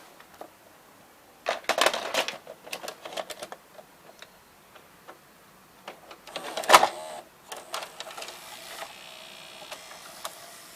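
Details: 1992 Samsung VR-3711 VCR, no belt replacement needed: irregular mechanical clicks and whirring bursts as cassette is drawn in and threaded; loading mechanism cycles normally.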